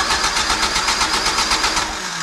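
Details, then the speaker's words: Engine with jets loosened, idle turned up: catches in quick uneven pulses, four or five a second, then sags and fades, not continuing to get fuel; stumbling, owner suspects jetting. "I don't know what's going on here, but it doesn't continue to get fuel."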